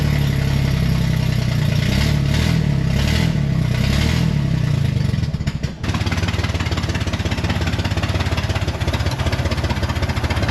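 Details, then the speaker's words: 1969 Corvair (paperwork says 69) flat-six, unrun for years, exhaust leaks: lumpy, uneven idle with irregular stumbles and a midway dip before catching; rough running, carburettor work needed. "so I'm going to put them back in a turn so at least it's where it was sounds to me like it also needs carburetor work not"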